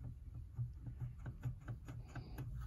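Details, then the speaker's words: 1960s Electra TC-505 reel-to-reel recorder: soft low thumps about twice a second under faint motor hum; small notch/flat spot on rubber play idler wheel bumping, rubber still soft, may be sanded down. "bumping on the motor but not too shabby we might be able to sand that down and the rubber is surprisingly soft so that's a good sign"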